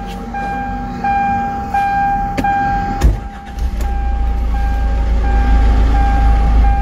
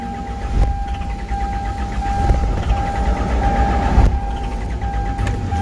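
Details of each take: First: Hyundai Santa Fe CM common-rail diesel with DPF, no-start with normal self-diagnosis, after correcting cam/crank timing about 12 degrees out: a few ticks and a thump, then a steady, even low rumble; normal start and idle. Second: Hyundai Santa Fe CM diesel common-rail with DPF, no start after sitting over holiday: cranks steadily, almost catches but never fires; self-diagnosis shows no fault codes.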